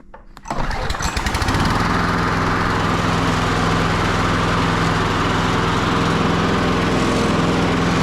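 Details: Victa Briggs & Stratton push mower after fitting a new trimmed throttle cable: pull start fires within a second, then a buzzy single-cylinder drone holds steady and even at full throttle; runs well.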